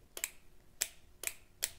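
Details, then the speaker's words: 80cc 2-stroke motorized bike build, first test of the newly wired electrical system: four sharp, crisp clicks about half a second apart as the handlebar switch is flipped; the relay is switching cleanly and working. "all right we want to listen closely to this relay here see if that's making noise uh when we flip the"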